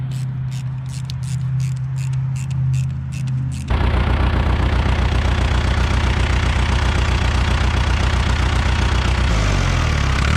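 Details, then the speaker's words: 1975 John Deere 450B dozer diesel after repair, now running on all four cylinders (cylinder one still cooler than the rest); catches and settles into an even, steady, smooth idle; smokes when revved. "it worked it runs on all four cylinders now Idaho's pretty smooth sounds good at RPM she definitely likes to choose some smoke when you rev it up"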